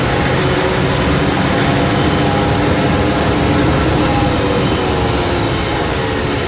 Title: CX9 rear differential, strange noise.